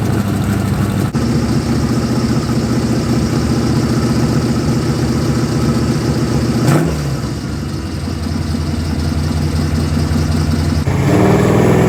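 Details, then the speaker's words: 1985 Chevy square body with budget-build small-block V8 and Hedman headers, idling with a throttle blip: rough, chuffing exhaust note from exhaust leaks just past the header collectors, before welding repair. "i know what some of you are thinking it doesn't sound terrible but it doesn't sound great either and that's because we do have a few exhaust leaks that we need to take care of"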